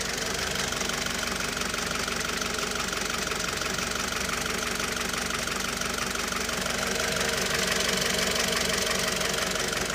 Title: Непонятный стук двигателя 4b11 (2)